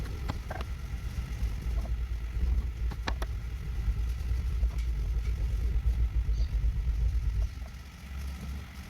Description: toyota landcruiser VDJ76 input shaft bearing noisy when in neutral and noise gone when clutch pedal pressed